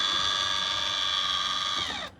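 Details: Maxxfan roof fan control board in a camper van, after repair and rewiring (fan's black wire is positive, white is negative): one steady, high-pitched beep about two seconds long that cuts off cleanly. Normal power-up beep.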